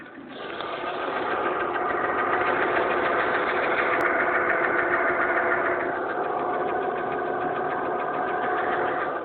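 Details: Mercedes E280 M112 at warm idle: a crisp, regular tapping about 3.5 times a second; quiet when cold and seemingly not heard at higher rpm, no oil consumption; suspected to be the lifters or the pistons, not confirmed.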